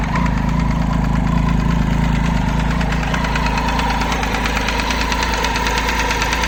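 Even idle with a crisp tick near three a second sitting on top of the engine, cause not yet found. Cause suspected, not confirmed.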